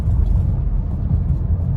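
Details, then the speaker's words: 2010 Honda Odyssey around 110,000 miles, after two tanks with Liqui Moly gasoline system cleaner for rough idle and hesitation, driving about 40 mph at steady rpm; steady low engine drone with even road rumble, no stumble or surge, earlier vibration gone. "बहुत अच्छा प्रदर्शन और मैं निश्चित रूप से 'लिक्की मोली' की सिफारिश करूंगा, इसने वह काम किया और जो समस्या (कंपन) मुझे पहले आ रही थी वह अब मेरे पास नहीं है"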